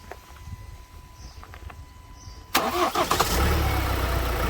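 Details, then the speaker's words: 2016 Ford Transit Custom 2.0 diesel after injector replacement: quick crank, catches at once and settles into steady even idle; no noise or leaks, starts cleanly. "So we're gonna have a test drive, but sounds like everything's fine, no noise, no leakage."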